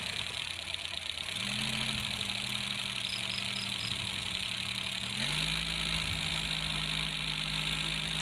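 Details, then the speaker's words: Colt T120 engine idling with harsh, busy clatter and hiss over a low hum: loud timing gear noise because an iron gear replaced the usual fiber one; oil was barely reaching the cylinder head. "teman-temannya yang ini biasanya dari fiber tapi ini dipakai yang dari besi inilah yang membuat suara semakin keras"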